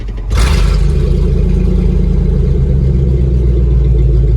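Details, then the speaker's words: 1997 Ford F-250 started after sitting for years: big V8 settles into a deep, steady, even idle with a loud exhaust, running really well with only a little valve tick. "Dude, this thing actually, I'm gonna be honest, runs really good."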